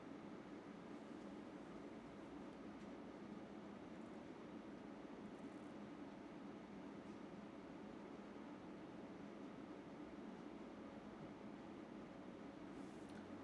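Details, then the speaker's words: UpHere NT1207-5 RGB PC fans, being turned up from about 1300 RPM toward maximum, where they reach around 57 dB: an even, loud airy whoosh with no knocks. Normal fan noise at high speed. "So they do get pretty loud. As you guys are going to notice, we're going to crank it all the way up."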